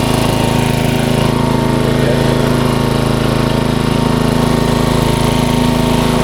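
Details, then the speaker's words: 1994 Troy-Bilt 34044 33-inch mulching walk-behind mower with Briggs & Stratton engine: a loud run with a hard, regular clatter on the engine because the two blades are out of time, likely after a blade change, and hit each other. "those blades obviously are not correct they hit each other on the way around so that's probably why they put it to the curb"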